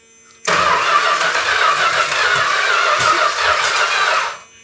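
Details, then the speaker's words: 1971 Chrysler New Yorker 440, parked 20+ years, first start attempt with fuel pump feeding carb; ragged, uneven spitting crank about four seconds, no catch, spitting out carb primary; owner suspected stuck valves, but distributor was misindexed, timing wrong. "It's spitting a little bit out of the primary, looks like. It's blowing. What that is is uh valves stuck."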